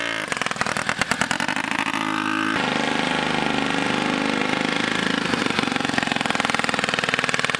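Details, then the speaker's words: Turbocharged rotary ATV that stopped making boost: engine revs with a wavering whistle or whine above the exhaust; the turbo shows end play and slop, and worn bearings are suspected. "like kind of a whining noise so if i was to guess i think our turbo's done for"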